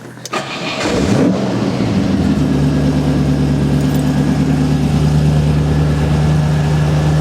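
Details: Ford Pinto engine with twin Weber side-draft carburettors, electric fuel pump at about 3.5 psi regulated: starter churns briefly, engine catches within a second and settles into a steady, even idle.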